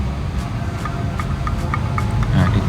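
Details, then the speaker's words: Honda CB150R engine reported rough-sounding: sharp regular metallic tappet tick over engine rumble, worse at high revs. Valve clearance far too loose, with the shims found ground down; clearance of about 0.15 is applied. "aja bunyi apalagi kalau sudah ada putaran tinggi ya seperti itu Jadi ini celahnya sangat renggang"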